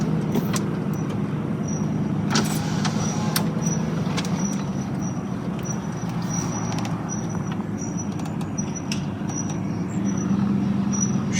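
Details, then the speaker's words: 2010 Silverado rolling slowly, thin high squeak from rear right wheel, consistent with wheel turning but comes and goes, stops when brakes applied; drum shoes still have plenty of wear. "Just say as I roll slowly when you can hear it. It seems consistent with the wheel turning, but it comes and goes."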